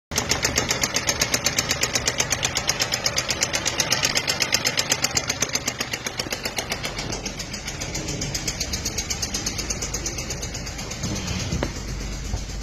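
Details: Renault Logan three-cylinder engine at idle: sharp, regular metallic ticking at about four per second over the idle. Engine noise, cause not identified.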